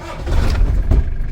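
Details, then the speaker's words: Rebuilt diesel engine after rewiring: short crank catches at once into deep low rumble that settles without stumbling; fires right up, normal start. "But yeah, it fires right up now."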